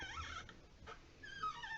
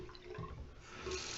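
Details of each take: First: Delta 25770LF two-handle washerless faucet, about 10 months old: a whimpering, gliding squeak as the hot-water handle turns, from a dry cartridge O-ring, fixed by lubing or replacing the O-ring. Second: Delta two-handle washerless faucet model 25770LF, about 10 months old, hot side squeaked; after replacing and greasing the O-ring, water runs with a plain steady rush, no squeal or chatter. Normal faucet flow.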